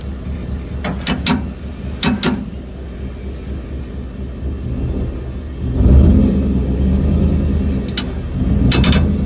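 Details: 2012 Ford F-150 pulling out of a driveway, with new shocks and springs already fitted: sharp pops, often in quick pairs, from the rear end over a low engine rumble. The cause is unknown.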